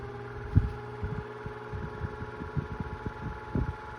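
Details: Cool Breeze 12-inch oscillating desk fan from 2002, after 20 years of heavy use: the motor hums with a loud, high squeal and irregular dull thumps from completely worn-out bearings.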